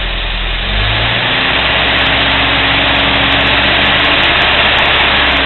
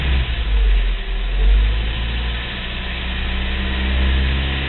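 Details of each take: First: Cold start, about five seconds after starting: steady, even idle with slight rise and fall, no ticking or knocking; smooth as silk, normal cold start idle. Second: Low rumbling idle swelling into a heavier throb every couple of seconds then settling, after warm-up from cold start; intermittent idle vibration, owner wonders about Jake brake or EGR, compression test planned; cause not confirmed.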